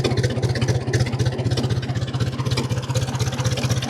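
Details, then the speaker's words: 1950 Ford 8N tractor, straight 4-cylinder, in neutral, idling about 300 rpm after cleaning filthy spark plugs: slow, steady chuffing about four even pulses a second, no skips; smoother than before when it ran rough with misses. "I think it sounds smoother than it did."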